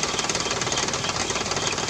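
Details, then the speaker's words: 1994 Toyota Kijang with heavy starter cranking: fast sharp clatter about twelve hits a second over rough running engine; valve clearance out of adjustment, needs setting. "goyang gini kira-kira apa yang mungkin dapat rezeki walaupun saya ini setelan klep kepadatan jadi jelek ini perlu disetel"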